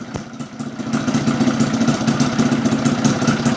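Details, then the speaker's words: Yamaha Fiz R two-stroke lacking power, after adjusting the reed valve (membrane) area: idle with uneven clattery tick about three times a second over rattly buzz; engine still sounds rough though better than before; cause not yet pinned down. "suara mesinnya parah tapi ini sudah mendingan ya daripada tadi sebelum kita melakukan eyetingan di area membran"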